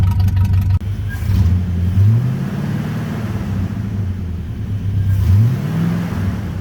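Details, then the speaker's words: 1980 Chevrolet C30 dually, just cold-started, straight-piped through blown mufflers: loud V8 revving, burble slightly uneven and shaky; running rough, owner plans to go through spark plugs. "All right, so it's running a little bit shaky. We need to go through those spark plugs."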